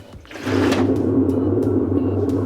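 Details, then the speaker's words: Whirlpool WTW5840BW0 top-load washer with F7/E1 code that won't start a cycle: basket spun by hand gives a rough continuous grinding rumble from bad gear case bearings, should be quiet; gear case needs replacing, and its capacitor had come loose. "one thing I do notice when I'm spinning this is we get a bearing noise so you can hear the bearings are bad in the gearcase on this model as well or on this unit as well it should be nice and quiet when it spins"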